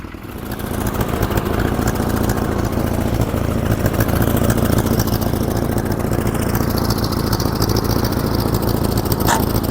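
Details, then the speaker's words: 1947 Farmall Cub tractor with a replacement engine, since the original was frozen: loud, rough running with an uneven beat as one cylinder keeps dropping out, missing because one valve is stuck. "It miss It's missing cuz one valve is stuck, but it's pretty sweet."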